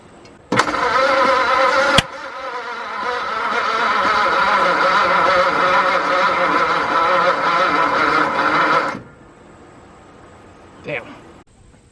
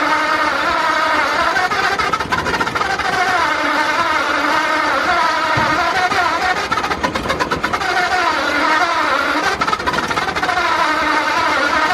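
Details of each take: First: 1953 Ford truck with a newly installed engine, crude first-start setup on starting fluid, oil pressure building: steady cranking about two beats a second for eight seconds without catching. Owner suspects a voltage problem. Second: 1953 Ford project truck, first start of newly installed engine after verifying number one at top dead center: loud, busy exhaust note with engine speed wandering up and down; runs and keeps running, a bit rough.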